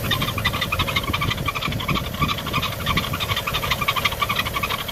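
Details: BMW E90 335i with N55 engine, 57,000 miles, cold engine, parked: rapid, uneven chirping and rattling about three per second from the belt drive; worn belt tensioner pulley, fixed by replacing belts and pulleys.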